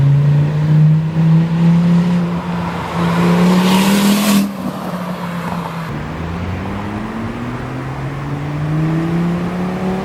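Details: Volvo S40 T5 2.5 L inline-five, full-throttle pulls: a loud raw roar climbing in pitch, far louder than a sealed system, from a blown flex pipe leaking right after the turbo, like a catless turbo outlet.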